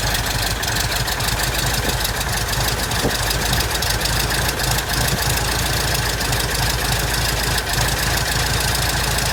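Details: 1967 Citabria aircraft engine, first start after restoration: loud, even popping beat at low steady idle with no misses or stumbles; running smoothly.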